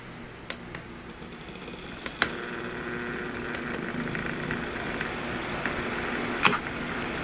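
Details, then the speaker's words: Old window fan motor that overheated, coils scorched, top bearing just reinstalled: powered, low steady hum with a few clicks but won't spin as bearings are misaligned; coils confirmed good, assembly possibly heat-warped. "All right, so it is trying to spin, but the bearings are not aligned."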